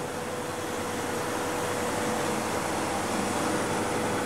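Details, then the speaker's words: Homemade refrigerant recovery unit mid-recovery from an air conditioner: steady, even compressor hum with a faint constant tone and no knocking or labouring. Running normally. "Eso ayuda a que la presión se mantenga un poco más alta. Bueno, ahí estamos recuperando."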